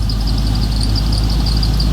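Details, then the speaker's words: Square-body Chevy V8 just rebuilt with new cam, lifters, valve job, bearings, rings and gaskets: deep, even idle with no knocks or ticks and a slight cam lope. Good oil pressure, no leaks, and a healthy normal idle. "Guess what it is? Runs good. Good oil pressure."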